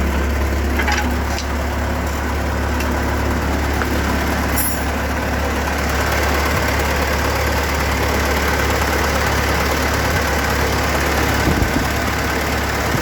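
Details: Ford 8N tractor with a new alternator, first start right after fitting a spin-on oil filter (Wix 51068), with oil pressure present; steady, even low idle with a smooth beat and no knocks or misses. Normal idle.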